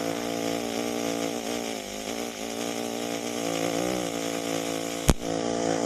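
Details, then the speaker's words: EWM Tetrix XQ 230 Puls AC/DC Expert 3.0 TIG welder, pulsed, soft curve mode: steady soft hum with even tones and one brief click, almost no noise; welder notes occasional small arc clicks of unknown cause. Quiet normal pulsed arc. "Vous voyez, on entend quasiment plus de bruit. C'est vrai que des fois, je sais pas trop pourquoi, mais on entend des petits cliquetis de l'arc."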